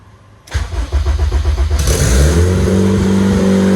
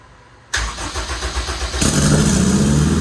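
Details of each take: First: Project RED engine build, first start on standalone ECU: cranks briefly, catches, then settles into a loud steady drone well above normal idle; high idle, owner suspects a leak, and rpm dropped when something was cut. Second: Long-term project engine's first start on a standalone EMS after pump priming: brief cranking, catches at about two seconds and settles into a strong, steady idle; starts and runs normally.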